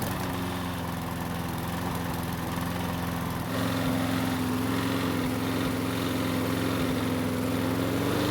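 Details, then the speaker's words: Troy-Bilt mower, sat in storage for years, just revived and started: steady small engine with light regular tap over the exhaust beat; owner calls it slight rod knock; engine knock. "however you already know the bad news and that is it's got a little rod knock but is it really a bad thing"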